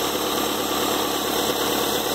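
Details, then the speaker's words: 2.0 engine at idle after a timing belt replacement with a new Gates PowerGrip belt, keeping the original quiet tensioner pulley. The belt runs smoothly with the tensioner working correctly; a possible false air intake from an unconnected flex hose is noted. "Observar ali no o tensor perfeito lá, bacana, funcionando na posição. Aí, ó, tudo certinho. Correia nova, tá?"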